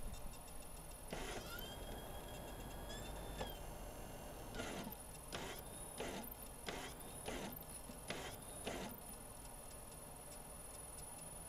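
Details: Magnavox ZV457MG9A DVD/VCR, DVD drive after replacing seven capacitors, microphone at mechanism: short rising whirs as disc spins up, then soft repeated seek clicks; loads and reads the test disc normally.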